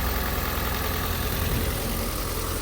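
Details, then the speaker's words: Rebuilt wrecked Ford Fiesta hatchback (2011-2019), 86,000 miles, first start after repairs: smooth, even low idle, steady rumble, no knocks, ticks or misses; sounds good. "sounds good."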